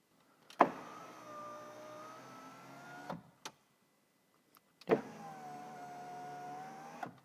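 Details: Car power window after the displaced door window gasket was refitted: two smooth, even motor whirs of about two and a half seconds each, each ending in a soft stop thump. The window now runs normally.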